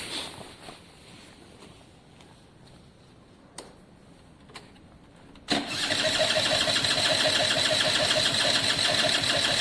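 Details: Italjet Formula 50cc two-stroke paddock bike, newly refitted carb, fuel tap and airbox: the starter whirs steadily but the engine never fires; owner feels too little fuel trickles through; no start from a wet fouled plug.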